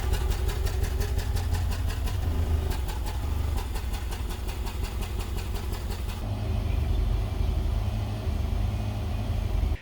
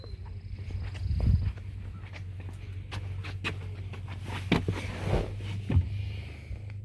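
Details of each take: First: 2011 Nissan Altima, 221,000 miles, four-cylinder idling lumpily with an uneven stumbling pulse; cylinder 3 misfire (P0303) traced to a cracked valve cover letting oil around the spark plug, fixed with valve cover, plug and coil replacement. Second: 2011 Nissan Altima four-cylinder, 221,000 miles, after replacing a cracked valve cover that leaked oil onto the spark plug, plus plug and coil, to fix a P0303 misfire; smooth, even, steady idle with no miss and no check engine light.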